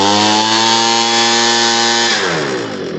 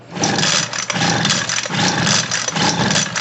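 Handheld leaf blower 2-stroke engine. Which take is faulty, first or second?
second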